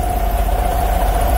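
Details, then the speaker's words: Vanair 185 UDEC PTO-driven rotary screw compressor on International 4700 diesel truck, PTO fixed by rewiring its power, about 140 psi: steady diesel idle with even mid-pitched compressor hum, no knocks or surging; holding pressure, normal operation. "don't have any tools for it but it's definitely uh pumping and compressing air"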